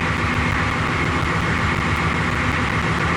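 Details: International S1654 diesel after oil cooler rebuild, new starter and new radiator, idling with radiator cap loose while warming until the thermostat opens to purge air: steady, even idle with a smooth low rumble, no knocks or misses; running healthy.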